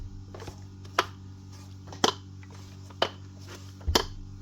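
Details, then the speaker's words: Makita HM1202C demolition hammer, switched off and tipped back and forth: loose clunk about once a second as the striker slides and knocks inside; suspected no grease or worn striker and piston O-rings, not confirmed. "Hear that there rattling back and forth. That's the wit just dropping back and forth. There's either no grease or the O-rings in that striking striker and piston have actually worn out completely."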